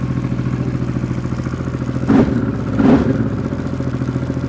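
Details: Honda XRV750 Africa Twin (RD07) V-twin just after engine rebuild, carbs not yet synchronized, one cylinder a bit lean: steady lumpy idle with a couple of brief throttle blips, even firing and no knocks; rebuilt engine runs fine.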